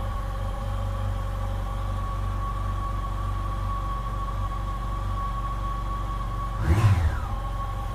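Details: 2007 Yamaha FJR motorcycle, replacement engine on first start: smooth even idle with steady hum, one quick clean throttle blip settling back; owner says it sounds much better than the old engine, a little smoke follows.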